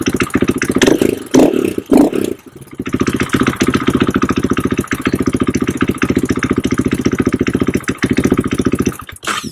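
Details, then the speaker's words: KTM/Husqvarna with power loss: a few rough catches, then a choppy, slightly uneven idle; fuel pump can't build or hold pressure, and a big in-tank leak is visible with bubbling fuel; low fuel pressure. "as soon as you turn it on you know it can't hold any pressure can't build any pressure funny thing is they still start on this low pressure"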